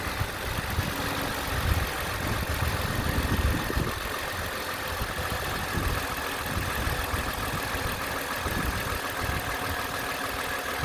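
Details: 2010 Toyota Camry XLE four-cylinder after water pump replacement: steady, even idle hum with no ticking or grinding; normal idle.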